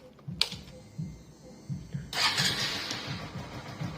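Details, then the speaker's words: Hero Glamour motorcycle after repair: engine starts and settles into steady idle, earlier rattling knock gone; cause was a loose nut, now tightened, engine fine, no smoke. "जो आवाज आ रहा था ना वो आवाज बंद हो गया है ना घड़ घड़ आवाज कर रहा था व आवाज बंद हो गया मतलब की एक नट लूज था इस कारण ये आवाज कर रहा था"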